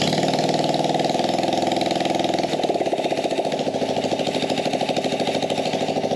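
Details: Small carbureted engine on a gas Power Wheel build, no air filter or muffler: uneven buzzing, slightly irregular beat about three pulses a second, rough and unsteady; owner suspects lean running.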